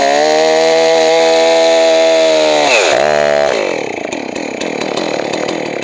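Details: Johnson Red 670 chainsaw after a Tillotson two-stroke carburetor rebuild and high-speed mixture adjustment: strong, even high-revving buzz that holds steady, then dips and winds down cleanly; runs smooth and healthy.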